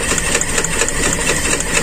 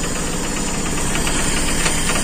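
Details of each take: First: Carbureted Toyota Kijang with limping, heavily shaking engine; uneven stumbling idle with irregular miss and light ticking, cylinder one not firing fully; cause found as torn intake vacuum hose; misfire from vacuum leak. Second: Carbureted Toyota Kijang that idled roughly and shook, after reconnecting an open vacuum/PCV hose: steady, even petrol idle with low rumble, no misfire stumble or knock; now running normally.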